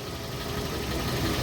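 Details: Hyundai Tucson petrol engine idling evenly with steering held at full lock after replacing three dried-out, worn accessory belts (one cut): no belt squeal or chirp.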